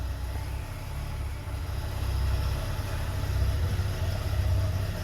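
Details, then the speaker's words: 1982 BMW 320i warming up after fuel system rework: low idle slowing as it warms, which is expected, but sagging and surging unevenly with an irregular stumble; stuttering rough idle when warm. "it's definitely slowing down now which may be a good thing because it's supposed to do that when it gets warm but it's getting a little stuttery"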